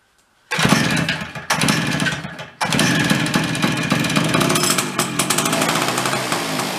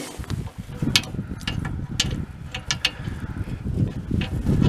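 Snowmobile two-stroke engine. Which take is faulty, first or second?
second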